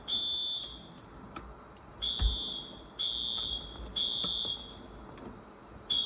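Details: Wheelock alarm sounder (new series) wired up, giving loud, high-pitched horn blasts about half a second long, repeating at uneven intervals; normal alarm tone.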